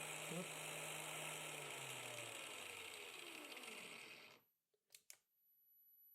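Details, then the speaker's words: DC motor driven by a 12-24V 30A LED strip dimmer used as a PWM speed controller, at higher speed: smooth even motor hum then clean spin-down; the PWM beeping and winding whine heard at low speed is no longer audible. "Bei solchen Drehzahlen ist das Piepen schon nicht mehr zu hören."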